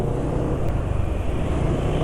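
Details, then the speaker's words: Scooter engine on Ultraline 2T side oil used as engine oil: low smooth even rumble under traffic noise, no misfires or knocking, rpm not dropping too fast; oil still slippery enough, running normally. "ini rpm-nya enggak enggak terlalu cepat turun lah jadi oli ultraline 2T ini kalau untuk oli samping mungkin kurang licin tapi kalau untuk mesin licinnya malah cukup ya"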